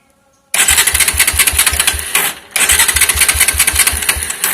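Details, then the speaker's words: Motorcycle that won't start, spark tested with a screwdriver: engine thumps along as a sharp crackling snap comes with each firing; strong spark shows the ignition system is fine. "ठीक है, अगर ये करंट आ रहा है तो आपके इग्निशन जो सिस्टम है वो ठीक है।"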